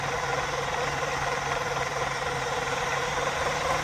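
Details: RC Mini Cooper S driving in circles after an ESC replacement, running a 2S Li-ion battery instead of 3S: a fairly quick, somewhat uneven knock, about four a second, over the motor whine; source unconfirmed, likely wheel-related; rhythmic knocking.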